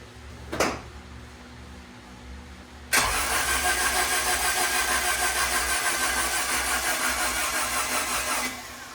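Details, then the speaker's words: Turbo Honda Integra, first start of 2024 after sitting on a trickle charger with battery disconnected and fresh oil change, cranked about five seconds to check for oil leaks: even, slightly laboured starter churn, no firing; slow cranking, owner suspects weak battery. "Apparently my battery doesn't like that too much."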